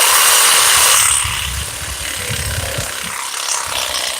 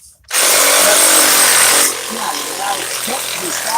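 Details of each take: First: DeWalt XRP cordless Sawzall on a used, not fully charged battery: strong rasping strokes fade to a softer weaker rattle during the cut as the battery sags, losing power. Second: DeWalt XRP cordless Sawzall with a fresh battery: loud fast high-pitched steady cutting buzz, noticeably stronger and faster than on the weak battery, then quieter rattle; healthy full-speed running.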